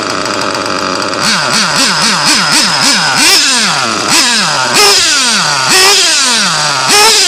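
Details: Nitro RC car engine in cold weather: sharp repeated throttle blips revving up fast and dropping cleanly back to idle, crisp response; normal running.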